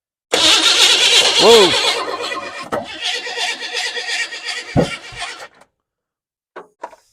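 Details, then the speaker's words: Abandoned 1988 Chevy S10 Blazer, first start attempt: starter whirs and grinds for several seconds, then hangs on with a dragging note after key release. The starter is sticking engaged while cranking. "let's try it again turn the keyo on please the starter sticking so I'm just going to touch this by way of you know that"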